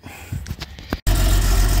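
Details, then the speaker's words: Jaguar Series 3 V12 being started on a small temporary fuel tank after priming a fuel filter suspected of holding dirt: after a few cranking clunks it catches into a heavy, lumpy low rumble with uneven beat; running rough but drawing fuel, cause unclear. "okay got us started uh she's running pretty rough uh but at least she's sucking fuel"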